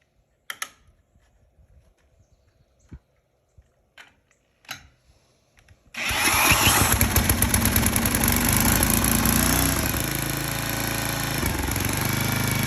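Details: 34-ton log splitter's small engine, after blowing out the fuel line and pressurizing the tank so fuel reaches the bowl, plus brake cleaner: a few quiet knocks, then it catches and settles into a steady, even run with no misfire; normal running.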